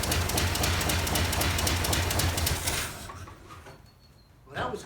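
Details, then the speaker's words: 1947 GMC truck engine, six-volt, running on gasoline poured into the carburetor; rough steady chugging about three seconds then fades and dies; owner suspects the carburetor bowl not filling or a clog inside the carburetor. "seems to me the more I put in the longer it runs so possibly maybe the bowl is not filling up or there's a clog from the bowl or wherever the gas goes next inside the carburetor"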